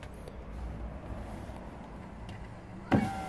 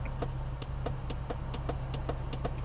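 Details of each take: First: 2014 Volvo XC60 driver's window with fault B118E00, operated from the door module: a relay click, a steady even motor hum and clean whirr for about three seconds, then a click at the stop; normal power window operation. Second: 2014 Volvo XC60 driver's window with fault code B118E00: repeated sharp clicks about four per second from inside the door when the switch is pressed, no motor whir; window stays fully open, failed door module.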